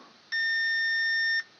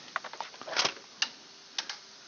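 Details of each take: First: Fire-damaged EB832 unit, short likely before the fuse, main output controller tested for a short: steady high-pitched continuity beep for about a second means the controller is shorted and dead. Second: Repaired fire-damaged EB832 power unit, reassembled and connected to power and head unit: a few sharp, dry clicks at uneven intervals over quiet; relays switch in normally at power-up and the main light comes on.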